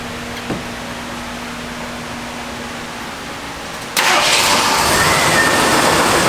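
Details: Fully serviced factory-AC Jeep CJ automatic with original emissions equipment and power steering/brakes: engine catches after a quiet stretch and settles into a steady even run, no knocks or misses; normal running.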